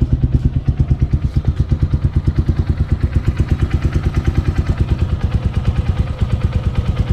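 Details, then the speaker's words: Motorcycle idling about 6.4 km after an oil change to Castrol Power 1 10W-40, recorded before adding EGB Safety Engine Lube additive for comparison; steady, even single-cylinder thump, about three pulses a second, no knocks or rattles; normal idle. "So yan yung ingay niya. Titingnan natin kung may difference mamaya pag lagay natin ng EGB."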